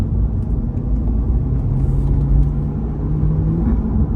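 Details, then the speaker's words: 2020 C8 Corvette at 8000 miles with code P0700, transmission delaying shifts and stuck in third in drive. The engine drones and revs with a steady tone but the car won't pull away under throttle: engine revs but the car won't move. "Like, can you hear the car revving? Like, I can't go anywhere."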